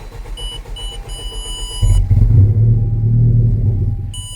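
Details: 2019 Honda Civic with a crank-no-start: chime beeps, then the engine catches with a low rumble for about two seconds on supplemental brake cleaner and dies, as if starved of fuel. The owner fitted an aftermarket fuel pump, which is suspected, not confirmed.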